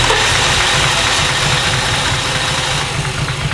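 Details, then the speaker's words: BMW E34 525 barn find, neglected 10–15 years and parked for head gasket failure, first start after work: lumpy, uneven idle pulsing about three times a second with a clattery edge, likened to a tractor; rough running, cause unknown. "Why does it sound so like trash though?"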